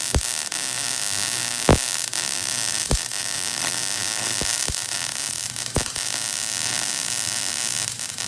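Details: MIG welding on a 1968 GMC C-20 frame being shortened 3 5/8 inches: steady, even crackling sizzle, no popping or sputter; welder set right, normal bead.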